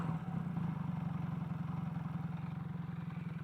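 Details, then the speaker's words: Kawasaki KZ440 twin on single carb, rebuilt engine with few miles, now warmed up after earlier stumbling and running out of fuel: even steady low putter, no knocks or misses; normal warm idle. "that sounds nice amazing what just putting some heat into the engine can do"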